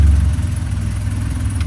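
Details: BMW E30 318i manual, sat an estimated three to five years, running only with fuel pump jumped, muffler blown out underneath: low, slightly uneven idle rumble with faint lope, no throttle response; rough idle, AFM or cold start injector suspected, unconfirmed.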